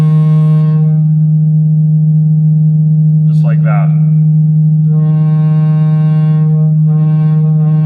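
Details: Cerwin-Vega AT-12 loudspeaker driven with a low-frequency test tone swept from about 8 Hz: harsh buzzing rattle flares sharply; cabinet breaking apart from loud use, loose joint vibrating against the woofer.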